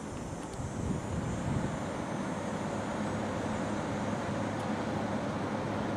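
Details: 1989 Carrier 6200 BTU window air conditioner in fan-only mode on medium speed, drawing about 0.88 A and 91 W: steady even whoosh of air with a low hum, no rattles or scraping; normal.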